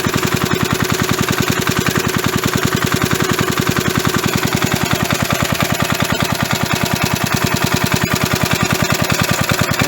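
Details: Roughly 37-year-old (about 1985) 3.5 hp Briggs & Stratton single-cylinder engine, started with carburetor cleaner, putters at slow idle with a quick, even beat and no knocks or misses. Normal idle.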